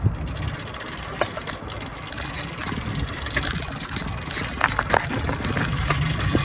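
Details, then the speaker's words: Neglected used motorized bike/moped being cranked after swapping the CDI for a smaller-engine unit; rough, uneven scuffing and rattling with no firing catch, no-start later blamed on the carburetor and old spark plug. "So I've taken the carb off. I'm going to disassemble it and I'm going to soak it in carb cleaner and alcohol. And we're going to see if this is the problem, which I should have done this to begin with, but I thought it wasn't sitting for as long as it was."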